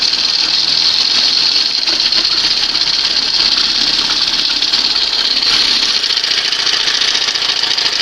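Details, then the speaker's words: 1971 Johnson 20 HP outboard after swapping to a smaller late-1980s carburetor: steady, even high-pitched buzz with no misses or knocks; runs better and much quieter with the smaller carb. "So this is a case where she runs better, sounds better, much quieter with the smaller carb."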